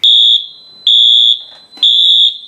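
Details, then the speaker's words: Fire alarm system test with Radionics D7022 panel, i3 device in hallway: three loud, piercing half-second horn blasts echoing in a small room; alarm horns sounding normally during test. "okay this is going to be very loud because as is like rip your ears apart loud like the spectral alerts do so i can't have it going off for long"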